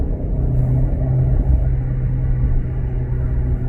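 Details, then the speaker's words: VW Golf R Mk7.5 with quad exhaust, accelerating in third gear in normal driving, not race mode: deep, smooth low rumble building steadily, no rasp or drone; normal exhaust note. "It's my quad exhaust out the back. Sounds really good. Just naturally."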